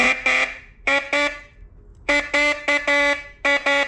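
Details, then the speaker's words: Hella B31 12 V horn from an abandoned Mercedes Ponton 190, tested on 12 volts after its overlooked internal points were cleaned: loud buzzy blasts in short pairs and groups, steady pitch and bright tone. Horn working normally again. "I just Revisited this horn and there was actually a set of points in here that I didn't notice so I just clean those off and now when I spark when I hit it we're getting sparkage so I bet you this thing will work now"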